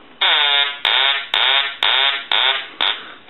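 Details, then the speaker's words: Duck novelty telephone on repair bench, ring cycle test: six loud nasal quacks about half a second apart with quiet gaps; ringer works normally though the phone won't dial out or transmit. "but we are getting the quacking sound on the Ring cycle and it's not dialing out"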